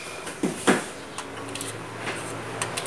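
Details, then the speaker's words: Audio speakers plugged into a plain power strip without surge protection: sharp pops and clicks come through the speakers when an electric fan is unplugged nearby, caused by a switching transient. "So as you can hear the clicking sound, so let me increase the volume so that you could hear the, see here, you can hear that, that's from the speakers due to when removing electric fan."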